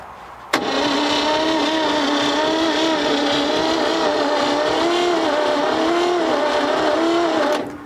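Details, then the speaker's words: 1957 Chevy Viking truck parked about 50 years; long wavering starter whine, engine cranks sluggishly and never fires; weak suction, battery possibly not charged, no fuel, carburetor likely needs cleaning. "weak ready very little very little suction on it it ain't turning over fast enough and we need some gas"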